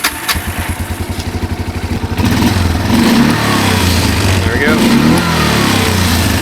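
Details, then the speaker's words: 1999 Kawasaki Prairie 300 ATV after correctly reassembling the carburetor and replacing the ignition coil: even single-cylinder thump at idle, clean rev rise with no bog or burble; normal running. "no more bog no more burble that is a good running machine right there"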